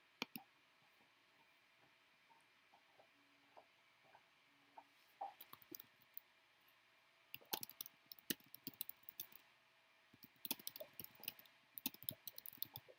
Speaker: yeah i definitely can hear that filament popping all the way from here though